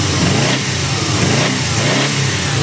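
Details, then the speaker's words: Prodrive Subaru Impreza STi EJ20 after new timing belt and replaced leaking fuel pipe, before mapping: quick throttle blips about every half second over a burbling idle, crisp and even, sounding much better; smoke is just spilled oil burning off the exhaust. "oh sounds much much better now much much better I'm happy with that"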